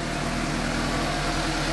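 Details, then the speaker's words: 2015 Suzuki GSX-S750 right after replacing the spark plugs with OEM NGK CR9EIA-9 at the 7,500-mile interval; a steady, even idle with a smooth low pulse and no misses, knocks or ticks, noticeably smoother than before, running cleanly. "really does sound smoother I like it yes noticeably a little more"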